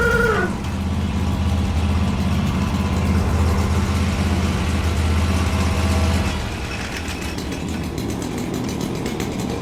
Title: What is this sound???#lawnmowingbusiness #lawncare #work #lawnmaintenance #lawnmower